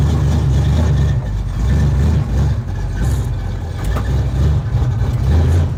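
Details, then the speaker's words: 1972 Chevrolet Chevelle V8 revived after 5 years sitting, with a TCI street transmission of about 300 miles: a deep, steady burble with no knocks or misses as it goes into gear and idles smoothly. "there's part three she's a runner went right into gear tranny's solid"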